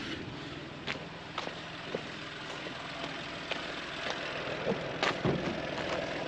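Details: VW engine after a water pump replacement and a test drive, with heat working: quiet, steady idle with only a few light clicks and no knocks or whine; sounds healthy.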